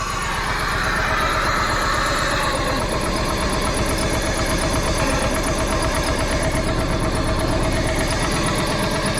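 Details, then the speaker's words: 1995 Plymouth Neon, low mileage, just started after long storage, Berryman's added, old gas: runs unevenly and shaky, missy, with a quick light chirp on top, no oil light; rough idle with chirp, then clearing up. "She might even out here, chirping around a little bit. No oil light. She's running, y'all."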